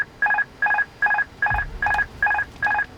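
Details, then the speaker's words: Airbus A330 cockpit during first engine run-up after storage: clean two-tone master warning chime repeating about 2.5 times a second, eight beats, triggered by autopilot disconnect; normal confirmation warning. "each time you disengaged the autopilot you get a master warning it is to make sure that you want to toggle that off in fight"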